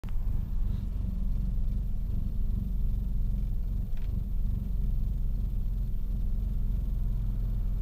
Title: Misfiring